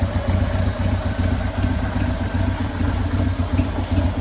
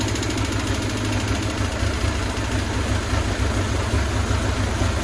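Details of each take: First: 2000 Buell Cyclone M2 V-twin idling after lifter and battery install: steady, even lumpy beat, no ticking or knocking; initial lifter tick gone, normal idle, carburetor needs no more work. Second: 2000 Buell Cyclone M2 V-twin, first cold start after new lifters and battery were installed: a light, quick ticking over the lumpy idle from dry lifters. The tick went away once the lifters pumped up.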